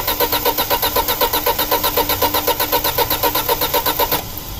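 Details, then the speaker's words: 2006 Audi A4 2.0T with P0300/P0303 misfire codes, cranking with a pulse sensor on the intake: steady starter cranking about four beats a second. One pull is weaker than the other three, with slightly lower compression on one cylinder (cylinder 3 suspected). "It does look like our pulls aren't as even. Yeah, one pull's not as strong."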